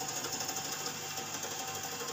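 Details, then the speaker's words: Refrigerator being recharged: refrigerant sputters with a rapid, uneven, stuttering hiss instead of flowing smoothly while the top of the evaporator starts freezing. Partly blocked capillary tube, with no methyl flush yet. "jadi tanda-tanda suara buntu seperti ini guys [Musik] ini adalah tanda-tanda kulkas buntu seperti ini"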